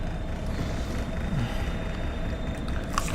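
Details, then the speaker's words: Carbureted (Weber) engine just started on first kick with choke partly on, on a chilly night: slow, even cold idle around 650 rpm, soft steady rumble, no misses or ticks; sounds healthy. "here we're sitting here idling right at about 650 or it should be sounds good and healthy"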